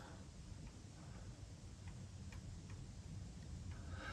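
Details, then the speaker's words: Old stock rack-and-pinion focuser removed from a Newtonian reflector telescope, turned by hand: scattered light clicks and rattles over low handling rumble, unlike the greased new Crayford; heavy gear backlash made autofocusing impossible. "And a little reminder of what that has replaced. I can hear it rattling."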